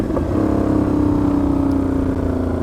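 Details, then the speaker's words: Motorcycle on a short rev: a loud, raspy blat, the tone climbing then settling. The owner reports play between the silencer and the catalytic converter that re-tightening the clamp did not fix, and suspects a leak at that joint. "quand le bruit c'est n'importe quoi je comprends pas pourquoi je suis autant de bruit"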